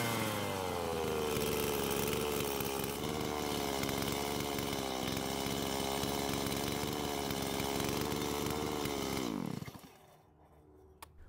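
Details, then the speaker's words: Stihl MS170 chainsaw after swapping parts to fix it cutting out by itself: an even two-stroke buzz holds steady for about nine seconds, then it is shut off with the switch and winds down cleanly. Normal running. "I guess it's working now this time I had to turn it off with the switch instead of it deciding when to turn off"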